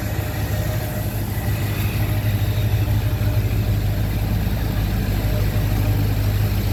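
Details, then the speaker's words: 2004 Ford F350 6.0 diesel, first start after replacing worn seals, O-rings and standpipe: deep steady clatter with even beat, no misses or knocks; running better than ever, best it has sounded in a long time. "running amazing. Better than ever. Love it. Oh yeah. Best I've heard it sound in a long time."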